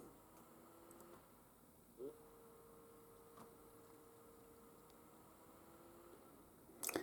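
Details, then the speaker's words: HP Laptop 14-df0023cl on AC power with a blinking white charge light: the fan whirs on for about four seconds after the power button is pressed, then cuts out as the laptop shuts off again. "So if you listen carefully, you can hear the fan switching on and off."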